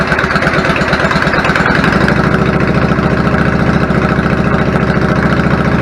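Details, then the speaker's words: 1999 Yamaha V-Star 650 Classic, 650cc carbureted V-twin, 16K miles. After cleaning clogged pilot jets and adjusting the idle, it has an even, steady, strong lope with no stumbles or misses; normal idle, fixed. "the idle adjust smells a lot sounds good settles back of it I'm fine with it babies are fixed"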